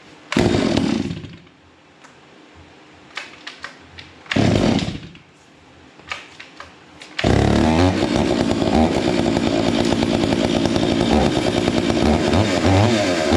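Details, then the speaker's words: Stihl MS 461 chainsaw with Westcoast Saws kit, Maxflow air filter, limiters removed: blips and drops, then holds steady high speed with a rough, burbly edge; idle turned down, jets set slightly rich; rich carburetor mixture. "and I haven't touched the Jets from where I set them it's a little bit Rich right now"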